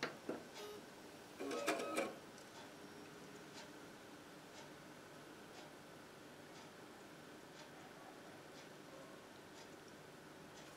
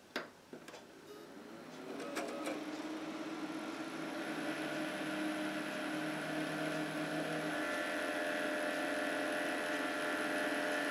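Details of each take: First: PC case fans running on 5 V via a homemade molex adapter (yellow to red) instead of 12 V, for silent operation without a fan controller; after a couple of handling clicks only a faint, steady whoosh, no rattle or hum. Normal fan at low speed. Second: PC case fans run on a standard 12 V supply, before the 5 V molex adapter is fitted: a few clicks at switch-on, then a whoosh that climbs to a steady, loud whirr with a hum on top, fans at full speed.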